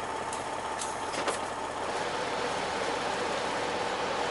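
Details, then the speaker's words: 2002 Freightliner Century with a Detroit diesel, warming up at about 37–38°F outside with pressure just above 50 and temperature at about 140: even diesel idle with a steady mid-pitched drone and a few air hisses; normal warm-up idle. "well pressures down with you just above 50 that's where she should be that sounds good here we give you guys a little taste of the noise"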